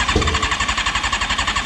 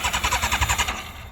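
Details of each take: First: Alcohol-fuelled Formula 4 race car after a fuel-leak O-ring repair, no dripping: engine pulses evenly at first, then picks up smoothly into a clean rising rev with no misses or knocks; normal idle and revving. Owner thinks it tends to flood. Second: Formula 4 race car on alcohol fuel, after fuel-leak O-ring repair: choppy uneven bursts about eight a second fading to a ragged low note, engine stumbling to stay running; owner suspects it floods out.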